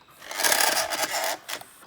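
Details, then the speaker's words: Old VCR loading a junk tape: rough scraping grind for about a second, then a few loose clatters; tape being chewed in the mechanism, likely lost. "Alright, so that's not brilliant. That sounded horrible. That is horrible."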